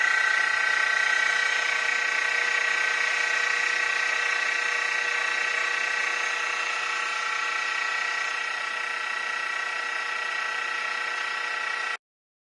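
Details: Mini mill after a Little Machine Shop belt drive kit upgrade, running in low gear (up to about 1100 rpm): smooth even motor hum with steady whine, no knocks or slipping, metal-on-metal rubbing gone; normal running.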